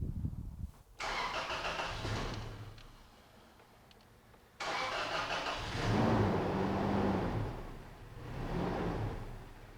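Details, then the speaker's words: 2004 Toyota Tacoma 4-cylinder fuel-injected, hard start: engine catches, sags toward stall, restarts and surges unevenly; throttle body had to be adjusted to start it; low unstable idle, idle air control valve replaced. "you kind of see right there that's what the customer is talking about I had to actually this is fuel-injected I had to adjust the throttle body to get it to start"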